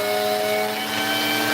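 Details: Vacuum with no-power complaint, wand in place and pushed forward then pulled back: steady motor whine with a faint dip and recovery, suggesting a faulty wand connection cutting power intermittently.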